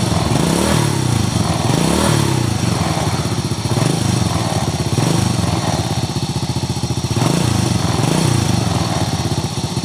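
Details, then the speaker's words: 2001 Honda Supra X single-cylinder idling: coarse, fast rattling noise around the cylinder head on every beat; owner plans to check the cam chain, chain tensioner roller and valve clearance; cause still unknown. "Ya, masalahnya motor ini mesinnya bersuara kasar, bunyi kemerasak."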